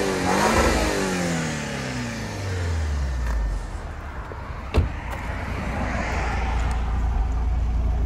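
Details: Audi A4 2.0 TFSI (stage 2, K03 turbo) running on fuel with five quarts of used oil in the tank, free-revved in neutral. It revs cleanly and falls back smoothly to idle with no stumble; normal.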